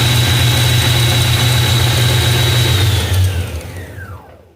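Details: Nissan Kicks engine idling during a test of its alternator, which had noisy bearings, charging perfectly: smooth even idle with faint steady high whine, then switched off and spinning down; normal idle.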